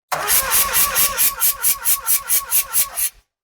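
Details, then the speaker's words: Mazda RX-7 12A rotary, compression tester on the front rotor reading about 120–130: cranking with an even, strong hiss-and-chuff about twice a second for three seconds; normal even compression while cranking. "okay and so like you can hear basically how strong the pulse is so we had the tester plugged in on the front right yeah you could hear how strong"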